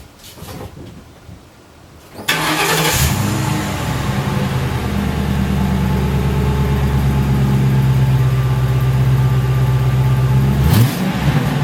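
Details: 2006 Ford Crown Victoria P71 V8, stock mufflers before internal boring mod, heard from behind the car: starts, settles to deep even burble, climbs smoothly when revved; healthy stock exhaust.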